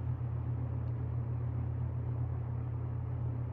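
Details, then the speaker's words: Restored circa-1977 Superlectric 2083 fan on low speed, meter reading 2.8 amps: a steady, smooth low hum with no rattle, tick or scrape. Normal running; any buzz-like sound is thought to be the dry motor, with oil still settling in. "is it buzzing I can't tell I can't tell I think it's just the motor is dry and it makes a weird sound it makes me think it's buzzing but it's not"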